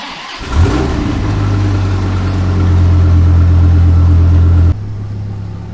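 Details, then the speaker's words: 2006 Dodge Viper SRT-10 coupe, first start after tune-up (oil, fluids, plugs, belt, thermostat, coolant, cleaned throttle body), coolant cap off to bleed air: starter whirs, catches cleanly, revs then settles to a smooth deep even idle, running well. "up all right so there you have it first start since we did our tune up and everything seems to run awesome"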